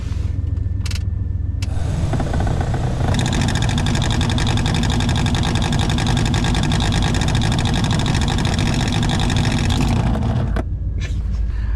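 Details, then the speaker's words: 1995 Chevy K3500 OBS dually 454, engine idling: the cabin blower motor gives a rough, droning whir with a gritty edge that holds steady; the worn-out blower motor is about to be replaced. "We are in the OBS Chevy 1995 K3500 Dolly 454, but my blower motor is going out, and I don't know if you guys can hear this."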